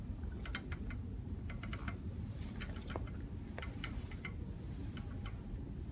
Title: Rattle noise from the rear break